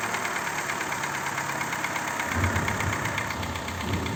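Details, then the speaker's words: Daewoo Lanos 1.5: steady, rapid knocking at idle that persists with revs. Replacing lifters and rockers didn't help; worn cylinder bores caused piston slap, fixed by boring, new oversize pistons and rings, crank grinding and new bearings. "Маємо ось такий стук в Ланусі 1,5."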